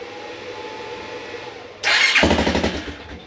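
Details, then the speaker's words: 1987 Suzuki QuadRunner 250 after replacing faulty pickup coil with a TaoTao unit and JB-weld repaired stator cover, previously no spark no start; single cylinder fires within a second and settles into quick even putter. Normal start and run. "All right. Well, she runs. That's great news. I'm I'm kind of I don't know. You know, it's just a great day, but I'm kind of surprised that it is running because there's so many different things that could have gone wrong."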